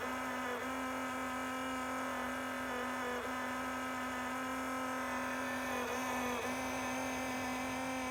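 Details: Enermax Liqmax III liquid CPU cooler pump failed after 9 months on a non-overclocked Intel 10600K, giving a loud steady droning whine with a buzzy edge.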